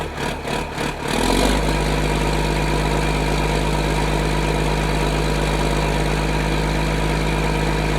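A few cranking pulses, then the diesel catches and settles into a steady, even low idle with no knocks. Sounds healthy.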